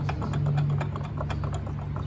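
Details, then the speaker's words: Yamaha Grand Filano scooter final drive turned by hand, jerking and noisy under the belt cover when pulling away; uneven rapid clicking about six a second. Suspected worn inner drive-shaft bearing starved of oil after the final-drive seal leaked, not yet confirmed. "พอน้ำมันเฟืองท้ายเยอะพอมาถึงจุดๆหนึ่งมันมันไม่อยู่ในค่าที่มันจะหล่อลื่นชิ้นส่วนต่างๆภายในเฟืองท้ายได้มันก็เลยทำให้ลูกปืนด้านในเนี่ยขาดน้ำมันเครื่องไปหล่อเลี้ยงก็เลยออกอาการ"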